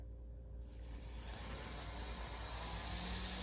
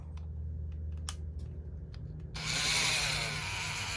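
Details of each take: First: Union Pacific 762 GP35 N scale locomotive, possibly Kato or Atlas, on a running test: soft, steady whir building as it moves, no grinding or clicking; runs quiet and normal. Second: N scale Atlas SD40 model locomotive made in Yugoslavia (Mehano): motor runs with a harsh, high-pitched buzzing whir, far louder than expected; owner unsure if normal or something is loose inside.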